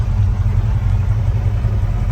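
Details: 327 small-block Chevy idling: steady, even low rumble with no knocks or ticks; engine sounds healthy. The alternator is not charging. Mechanical gauge reads well over 25 psi oil pressure, about 50 with throttle, while the digital gauge wrongly reads under 25.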